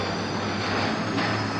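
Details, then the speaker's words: Garage overhead door opener running on battery backup: low steady motor hum, no grinding or clunks, door travels slower than usual; normal operation on battery backup. "but it's got a battery back up when you got the battery back up you'll notice that they travel a lot slower it's going to work"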